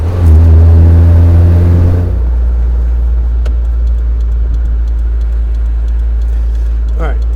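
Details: Fido off-road vehicle on a test drive after a new clutch, in high range. Under full-throttle acceleration it pulls hard, then settles into a steady deep drone with no slip flare or judder; some tire squeak comes from the ratcheting locker. Clutch engages normally.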